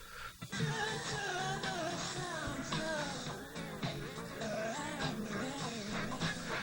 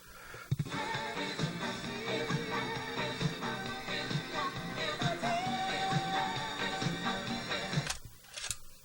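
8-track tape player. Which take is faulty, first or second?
first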